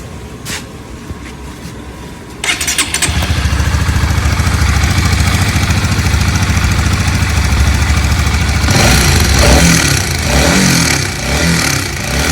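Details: Honda CBR150 motorcycle; fires up and settles into a loud, uneven idle with a rough rapid patter on top: abnormal engine noise, cause undetermined.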